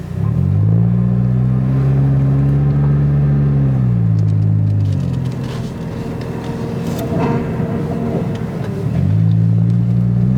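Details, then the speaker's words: Jeep with failing power steering pump, recorded while driving, since it only makes the noise when turning on the move: a low droning groan that rises and holds through the turns over road rumble. "Now, for some reason, when it comes to the Jeep, it doesn't like to make the sounds whenever you're turning, unless it's driving. Don't know why, don't know how."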